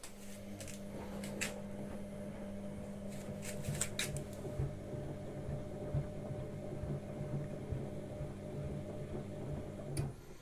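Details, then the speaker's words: Listo washing machine during wash cycle: steady low hum with light uneven clacks roughly every half second from the recirculation spray arm knocking as it sprays; normal. "entend bien le bras qui claque comme ça."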